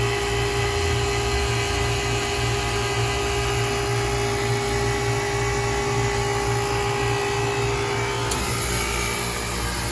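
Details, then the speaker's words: Old KKT chiller running normally after contactor replacement: constant compressor hum with steady high fan whir, even and unbroken. "so i'm going to shut up right now and for the last remainder of the video just let you hear the sweet sounds of this killer operating"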